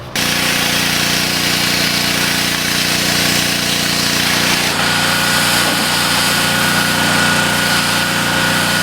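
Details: Outboard whose motor had been blown by a later owner, now repaired and running great, idling on a temporary external 12-gallon tank; loud steady buzzing idle with an even beat, no sputter or hunting; healthy.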